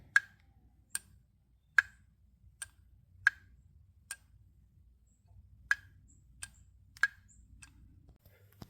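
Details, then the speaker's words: Audi throttle body removed from the car: sharp, irregular plastic clicks from a loose wheel inside, which moves freely by design; normal, not a sign it's bad. "so that clicking noise that you're hearing is this wheel right here that's just sitting loose so it just moves freely so don't freak out if you hear it it doesn't mean that it's bad"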